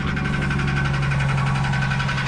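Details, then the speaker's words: Cheap Ford Mustang SN95 V6, just started: steady low drone with fast, sharp ticking over it, about ten a second; a nasty engine noise, cause not identified. "you can hear she's making a pretty nasty noise"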